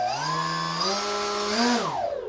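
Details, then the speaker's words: Electric RC aircraft motor with a temporary test flight controller, not yet flown; a clean whine climbs as throttle comes on, holds and rises a little, then winds smoothly down; normal motor spin-up. "the motor starts right up and this is very dangerous you want to stay as far away from the prop as you can"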